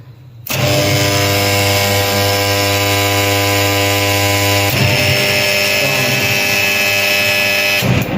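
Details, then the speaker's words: Motor on a star-delta starter (time-relay changeover) after replacing a burned-out contactor that tripped the breaker: loud steady hum dips briefly near 5 s and picks straight back up as it switches to delta; clean, normal changeover. "看它这个是转换好使的，对，转换的。"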